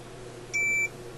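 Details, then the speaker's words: Sparton Model 67 vacuum tube radio: a single steady high continuity beep of about a third of a second over a quiet hum as the ohmmeter checks a re-soldered wire connection; continuity is good. "let's see if it works well I guess we can try just with the ohmmeter first off why not"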